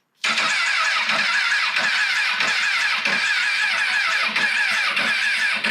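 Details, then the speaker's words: 2006 Honda CBR1000RR rebuilt from a wreck, first start attempt with fresh gas; starter cranks steadily for about six seconds and never catches, no fuel pump priming heard; suspected fuel pump or tilt sensor; crank no start. "Definitely don't hear the fuel pump priming. Hope I don't have to buy another fuel pump for this thing."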